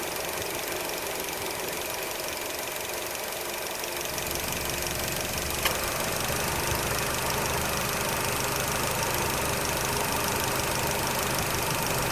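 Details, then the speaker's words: Nissan Qashqai J10 at idle, after repair of an AC compressor clutch that was not engaging. A deeper hum steps in about four seconds in as the clutch engages, then runs smooth. Compressor running normally. "I'm gonna try to place the phone at the front, see if you can hear the compressor kicking in and all that stuff, just to show you, but hold on a second."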